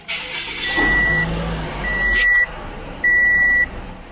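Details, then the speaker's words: 2014 Toyota Camry after a learning value reset fixed P2111, throttle actuator stuck. A quiet, steady idle at 650–700 rpm with no hunting and a few electronic beeps; normal idle. "गाड़ी को start कर दिया यह आप देख सकते हैं इसका जो आरपीएम है वह अपनी ओरिजिनल पोजीशन पर आ रहा है मतलब 600 से लेकर 700 के अंदर इसे फ्लकचुएट करना चाहिए"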